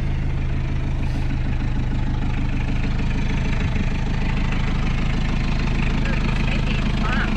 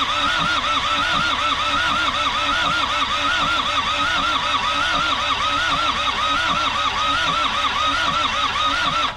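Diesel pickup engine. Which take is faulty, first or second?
second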